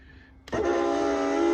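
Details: Euroloft lift bed in a Jayco van: a sudden sustained squeal with many stacked overtones starts as the bed lifts, from squeaking lift straps, before rubbing on ski wax.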